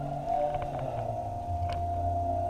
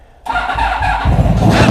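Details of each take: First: Vehicle that struggles to start (battery 12.6 V key off, 11.5 V key on) cranked on a 50 amp jump pack: strong cranking rhythm about three and a half pulses a second, much better, pointing to a weak battery. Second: Motorcycle starting on a battery that sat on a shelf a year, after regulator rectifier found faulty: quiet, then engine catches abruptly and settles into a steady, slightly rising run; starts readily, though voltage later drops and it stalls.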